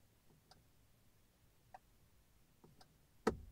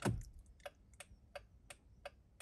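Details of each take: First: 2006 Honda FR-V 2.2 diesel, right indicator not working, stalk moved slightly with ignition on, quiet cabin: faint single relay clicks, no steady flasher rhythm; failing G8N-1FS relay in module 38650-SJD-E01. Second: 2006 Honda FR-V 2.2 diesel after repairing the 38650-SJD-E01 indicator module's G8N-1FS relay: crisp, even relay clicks about three per second; indicators and hazards now flashing normally.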